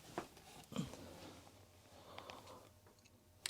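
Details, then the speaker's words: Commodore Amiga reported as not working, powered on with a homemade Mean Well supply and no disk inserted: faint, sparse dry ticks in a quiet room as the floppy drive polls for a disk; normal. "well there's a light okay he said it didn't work but uh this looks like working to me and I hear the floppy disc is uh ticking"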